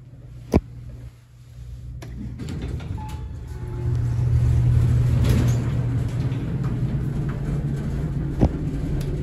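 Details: Horizon hydraulic elevator installed 1964, Rye City Hall, Rye NY: a heavy low rumble swells as the car moves and stays rough and loud throughout. Noisy, shaky ride.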